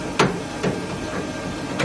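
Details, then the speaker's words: Gas boiler with no water circulation: sharp irregular bangs over a steady hiss as water boils in the heat exchanger; at 75 degrees safety devices cut the burner, F9 water pressure sensor fault shown, high limit stat not tripped. "and that noise where you heard it banging, that's because the water was boiling in the heat exchanger and the safety devices have knocked out the burner."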